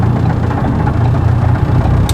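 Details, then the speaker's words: Ford Focus ST with Garrett GX2867R turbo and stage 3 ultimate road cams, stopped at a light: deep, choppy, loping idle as the car struggles to idle; lumpy idle from aggressive camshafts. "The cams, in the way I have stage 3 ultimate road cams, so the car struggles to idle."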